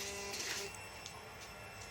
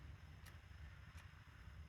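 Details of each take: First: 2007 Suzuki DL650 V-Strom after cleaning gunked clutch switch that prevented cranking and reinstalling it correctly, starting with clutch lever pressed: engine catches at once and settles into even, steady idle; normal start. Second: 2007 Suzuki DL650 V-Strom pressing start with clutch pulled: lights cut out and only a faint fuel pump whir and low hum, no relay click, no crank, no error code; fault found to be the clutch switch.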